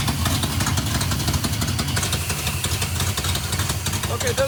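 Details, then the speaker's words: 1971 Plymouth Satellite 318 V8 with a freshly fitted Thermoquad, after idle mixture adjustment and a brake-clean vacuum leak check that changed nothing: a lumpy, loping idle. It runs rough and rich, and the owner suspects fouled plugs. "Okay, it seems to be running a little rich, running a little rough."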